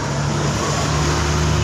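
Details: Suzuki Spin scooter with a CVT growl that appeared when the clutch housing was fitted, and worn clutch shoes. The cause was traced to the clutch bearing; after the repair the CVT runs with a smooth, steady hum and no grinding or growl.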